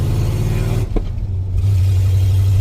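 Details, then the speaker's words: 1986 Ford F150 with a 351W V8 and ZF5 gearbox, fitted with used Holley Sniper EFI and a HyperSpark distributor, no mufflers, while driving. Deep, loud exhaust rumble dipping at a gear change, then pulling smooth: normal acceleration. "Still sounds good. Needs some mufflers. I do need some mufflers."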